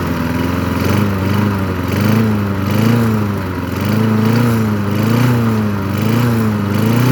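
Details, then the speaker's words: Craftsman 22-inch push mower, 6.0 Briggs & Stratton engine, after carburetor swap: steady constant beat with slight gentle rise and fall in speed, little smoke; runs normally. "yeah not just that actually worked pretty well the reason why he didn't really smoke a whole lot because the last three times that I started eating I was feeding it with the old carburetor"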